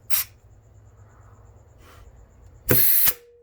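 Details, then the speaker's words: GM 4L60E transmission rebuild, forward drum assembly air-checked with hole blocked: short hiss bursts from air nozzle, then a brief clean blast with a quick clunk as forward clutch applies and holds without leaking; normal clutch apply. "When your engine brake applies, it also applies your forward clutch, so you can block this hole right here and then put air."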